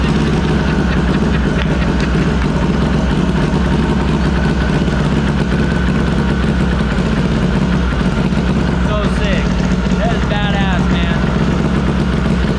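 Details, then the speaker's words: SHO'NUFF race car started through the PDM, completely cold, air-fuel at 12: lumpy idle with an uneven beat and occasional stumbles; sounds like a misfire, with a stuck injector suspected but unconfirmed. "on the fuel i almost wonder if one of our injectors is stuck how much fuel's in here yeah just sounds like a misfire in here"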